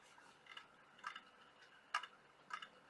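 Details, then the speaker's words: IBM ThinkPad 390 laptop at power-on: the hard drive gives irregular sharp clicks and clunks about once a second in a quiet room, sounding worn. "I know it's on because I can hear the hard drive clunking"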